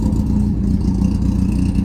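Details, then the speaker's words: Smart car, first start after cleaning, rebuilding and rejetting the carbs: steady even idle with a low, clean firing note, no misses; perhaps slightly lower in tone, normal idle. "to me it sounds like a has a bit of a lower tone I'm not sure about just me or not"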